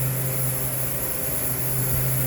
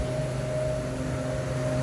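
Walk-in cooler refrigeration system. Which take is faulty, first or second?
first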